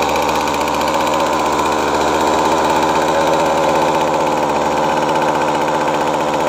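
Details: Featherlite FL25C two-stroke string trimmer, which previously ran only barely on full choke, after a carburetor replacement: a steady, even buzz at constant speed with no surging or dying, running cleanly.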